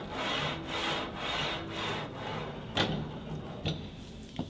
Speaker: Another type of bearing you may have on your strength equipment is called a linear bearing. And you can actually hear how a linear bearing sounds.